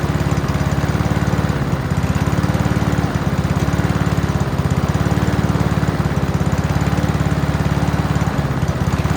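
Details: Free Honda walk-behind mower, first start before major work, run on choke with fuel in the carb bowl: quick even single-cylinder putter at steady speed, no knocks or misses; healthy, still needs minor tune-up (plug, throttle cable, fuel lines).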